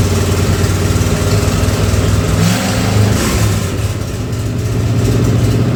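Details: Ford 302 V8 for an 84 Mazda truck, converted from EFI to carburettor, sat two years, first run on engine hoist: deep steady burble with light throttle blips, no knocks or misfires; timing roughly set, running fine.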